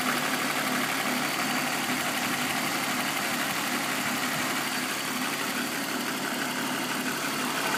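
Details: BMW M54B25 engine at warm idle with a light knock about three beats a second, front right of the engine, appearing only after warm-up. VANOS is ruled out via INPA/DIS; the owner asks whether it is the chain.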